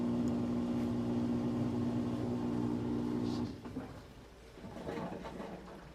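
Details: Whirlpool/Maytag top-load washer: loud, rough humming groan with a fast pulse, then stops; bad transmission/gear case.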